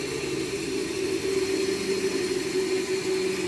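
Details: Grizzly Industrial 14-inch band saw after guide bearing change: steady, even mid-pitched whir with no knocking or rubbing, runs smooth and well balanced, slow coast-down.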